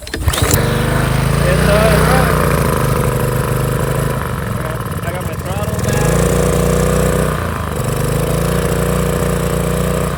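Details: Small single-cylinder power washer engine after governor repair, a little oil still in the carburetor: steady hum that settles back to speed after brief load dips, even and controlled; holding speed normally.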